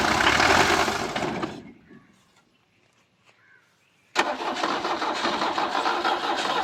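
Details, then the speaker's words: Hard starting after long storage on a non-direct-injection diesel G-Wagon style vehicle: long cranking fades, pause, then the engine catches into a rough diesel idle; starts easily when driven continuously. "അങ്ങനെയുള്ളൊരു വണ്ടി ആയതുകൊണ്ട് starting ഇച്ചിരി ടാസ്ക്കാണ്. ഒരുപാട് നിർത്തിയിട്ടാ കേട്ടോ."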